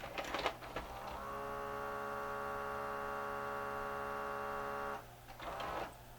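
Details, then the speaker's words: Mid-90s Mitsubishi HS-U760 S-VHS VCR that won't take a tape: the loading motor whines for about four seconds with no loading clunk, slipping. Bad loading belt; fixed with a new belt and a cleaning. "that's not good sounds like the loading motor's slipping"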